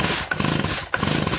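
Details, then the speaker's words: Two-stroke engine pulled over by hand during a compression test: slow soft strokes with barely any compression puff, gauge not even reaching 10 PSI, though such engines can still run. Low compression cranking. "I mean it is building a little bit of pressure not much I mean it's not even getting up to 30 PSI it's not even getting up to 10. you can hear there's a little pressure in there"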